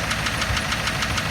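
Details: Ford 7.3 Power Stroke diesel running: sharp, evenly spaced knocks over the engine, traced to cylinder #4. It persists after swapping injectors 2 and 4 (stage 1.5s, 6,000 miles) and after adding Marvel Mystery Oil and Hot Shot Stiction Eliminator; injector knock suspected, not confirmed.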